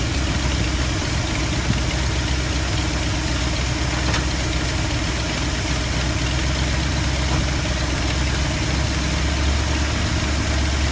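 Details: 1972 Ford F250 with 360 V8 after installing a Pertronix Flame Thrower II distributor, new coil, cables and plugs: steady, even idle with a deep low rumble and no misses or stumbles; sounds healthy.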